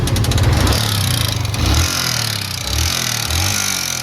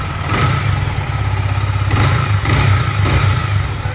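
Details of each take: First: Yamaha MT-15 never serviced at a dealer, noise appearing suddenly after the owner topped up engine oil himself: single-cylinder revs up and down with fast metallic ticking tracking engine speed; broken decompressor and worn timing chain. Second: Yamaha MT-15 after repair of engine noise with new timing chain and decompressor and rockers adjusted: steady single-cylinder idle with quick throttle blips, no ticking or chain rattle: normal idle.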